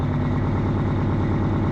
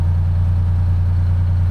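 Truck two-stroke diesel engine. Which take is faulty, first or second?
first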